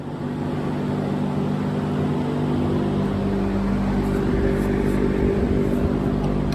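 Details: 2004 Yamaha YZ450F single after inspection, valve clearance, timing check and carb/jet cleaning tune-up: steady, even drone at constant pitch, no ticks, knocks or misfires; runs clean and healthy.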